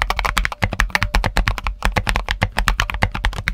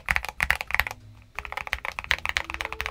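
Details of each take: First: Mechanical keyboard with switches whose springs were only donut-dipped in lube, leaf spring unlubed; fast even typing with a faint metallic ring trailing each keystroke, audible spring ping. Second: Red Dragon switches with spring lube and the back of the leaf spring also lubed, in a near-stock keyboard with Tempest tape mod and PE foam mod, aftermarket keycaps. Quick even clacks with a dull tight tone and no metallic ping trailing the presses.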